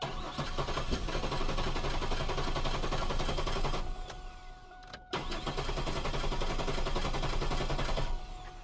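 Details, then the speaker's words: Chevrolet Camaro with fuel pressure present and relay installed: steady cranking about four turns a second with no catch; no-start traced to a faulty fuel pump relay. "we got fuel pressure right there what's causing this to not turn on now"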